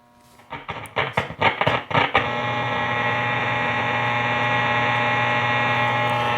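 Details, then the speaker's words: Grundig Satellit Transistor 5000 shortwave radio, long unused, dirty push-button switches needing cleaning, early in the day: tuning crackles in bursts then steady hiss and low hum with no station; static and hum, poor reception. "But at least we're hearing static, so that's a good sign. And again, it's a little early in the day."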